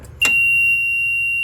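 A sudden, steady high-pitched buzz that holds constant once the cart is put in reverse: the reverse buzzer is working normally.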